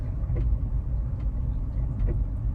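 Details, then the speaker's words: Tesla Model Y on a mismatched-diameter spare tyre at about 9 mph: faint clicks roughly every 0.8 seconds over road rumble as traction control pulses the brake on and off; that brake measured over 130 °C. "you hear that clicking sound that's the abs here popping off i would bet listen that's the same exact sound i heard in knoxville oh yeah and i can feel it uh putting the brakes on and taking them off"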